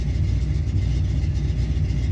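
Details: Camaro V8 just fitted with Aces EFI, new in-tank fuel pump and lines, idle set to 850: deep, lumpy, uneven idle dropping too low and wanting to stall; rough idle, smells rich, owner suspects too much fuel.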